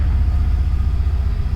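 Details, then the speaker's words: A passing car, possibly a small Mazda, gives a deep, loud, lumpy low rumble with uneven pulsing. The exhaust sounds rough and harsh, cause unclear. "there's this guy down the road he has like a Mazda or something and it sounds awful I'm pretty sure he's about to go by here in a minute"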